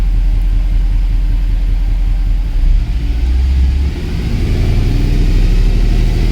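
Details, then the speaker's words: Mercedes W204 C63 AMG, M156 V8, right after replacing the spark plugs; deep steady rumble settling to a smooth even idle with no misfire or tick, normal idle. "Wow, it idles down even really good. I think we have success."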